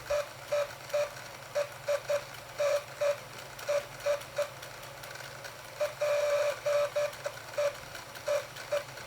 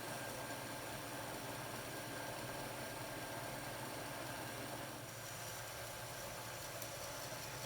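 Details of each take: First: Second-hand Bachmann limited edition Blue Peter model locomotive on track: small motor hum broken by shrill squeals about twice a second from a dry motor bearing, fixed by oiling it. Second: Second-hand Bachmann Blue Peter model locomotive motor, previously squealing from dry bearings, now runs with a soft, even hum and no squeal after a drop of oil on front and rear shaft bearings.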